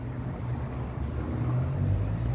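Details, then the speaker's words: 2006 VW Fox 1.6 front wheel spun off the ground after CV joint replacement: smooth even low hum, no clicking or knocking; the earlier CV joint knock, present even with wheel straight, is gone. "veja aí que o carrinho não apresenta mais barulho na roda pode girar aqui à vontade sem problema"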